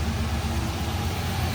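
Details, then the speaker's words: Chevrolet Monte Carlo SS, possibly a 2006, 5.3 L V8 front-wheel drive, in for a check engine light, started up. Deep, even V8 idle with no ticking or puffing at joints; no exhaust leak, normal exhaust. "Sanitary. You're reaching in. It's either gonna exhaust leak or it's not. Beautiful. Nice and quiet."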